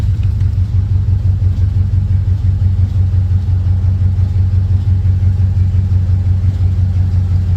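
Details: 1940 Ford Tudor revving after new tailpipes from an eBay kit were fitted (hangers and clamps still to go on): deep, throaty rumble rising and falling evenly with throttle, no misses or rattles. Normal revving.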